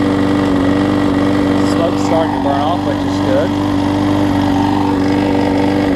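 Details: Husqvarna mower with aluminum deck and a transplanted single-cylinder engine, run on starter fluid before the gummed-up carb is replaced. It holds a steady idle with a constant drone and a slightly uneven beat, and it keeps running.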